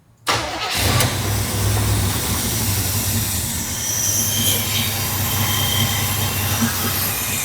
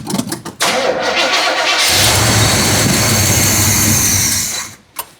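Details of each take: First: 1972 Chevrolet El Camino, original 402 big block, first cold start after fuel hookup: catches almost instantly and settles into a steady, deep idle held up by the choke, no misses; healthy engine warming up. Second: 1972 Chevrolet El Camino, 402 big-block V8, first start after decades parked under a carport, fed a little fuel: sputtering cranks, catches, revs briefly, sags and dies; carburetor stopped up, needs rebuilding.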